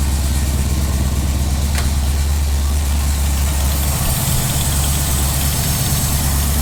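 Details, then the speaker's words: Firebird V8 after replacing ripped intake manifold gaskets that caused a big vacuum leak, and finding a broken spark plug: deep, even burble at about 1000 rpm with background hiss, settled and steady; runs way better, a normal warm idle. "that's a thousand that's about a thousand that sounds way happier no driving vacuum leaks for good things"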